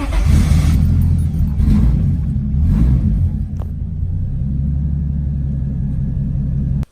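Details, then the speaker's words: Rough idle, heavy uneven low rumble that shakes and stumbles before shutdown; running worse than ever. Injectors ruled out by unplugging each one while running; suspected blown head gasket, water in cylinder. "you cars running like super rough like almost rougher than it ever really has and we're trying to figure out why"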